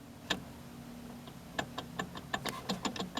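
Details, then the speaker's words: Toyota Corolla Wagon with horrendous vibration at highway speed, axle nut off, outer end of axle shaft lifted up and down by hand: sharp uneven clicks, about eight in three seconds; worn CV joint with excess play. "If you can grab this near the end, which the end is right up here, and if this thing makes any noise when you try to lift it up and down, you got a problem."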